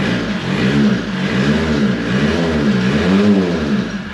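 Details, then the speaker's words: 1984 VW Rabbit Mk1 diesel, parked 26 years, revived: revs rise and fall smoothly with even clatter and no misses or knocks, no smoke, and the battery light goes off as it starts charging. Normal running. "no smoke or anything oh battery light went off did it start charging heck yeah it woke [Applause] up"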